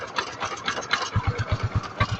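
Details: Kawasaki Rouser 135 after repair, parts replaced, kick-started because of a weak battery: a few uneven pops as it catches, then a steady thump of about eight beats a second; idles quietly compared with the heavy clatter before.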